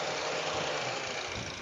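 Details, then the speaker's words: Mitsubishi Xpander automatic for sale, hood bolts never removed, new battery, hood open: steady even idle with smooth hum, no knocks, ticks or misses; seller calls it still smooth. Normal idle. "Nah, kita sepilkan mesinnya ya, mesinnya bersih dan suaranya seperti ini. Suaranya masih halus ya Bayar ya."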